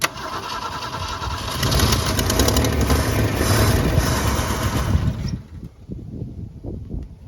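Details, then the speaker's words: 1965 Ford Falcon six-cylinder, first start since the mid-1990s, fed from a side fuel jug: it catches, runs rough and lumpy for about five seconds, then stumbles and dies. Owner suspects a stopped-up fuel pump or filter. "not yet it's too much fun well I think maybe the fuel pump might be stopped up"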